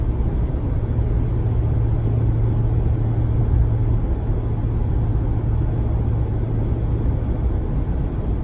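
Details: 2019 Ram 1500 cruising in 8th gear: loud steady low cabin drone with no pitch change, regardless of MDS 4-cylinder mode; persists after dealer replaced the sound amplifier, cause still unknown.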